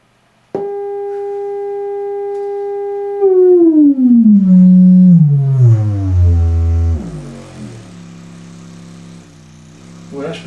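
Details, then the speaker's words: Harman Kardon HK695 computer speakers after side speaker repair (previously no volume, distorted), tone generator test: clean steady tone sweeping down to deep hum around 30–20 Hz, no buzz or rattle; speakers work. "30 hertz and i can hear it and now i can't hear it but i can actually see the cones going that's full of cone vibrating at 20 hertz"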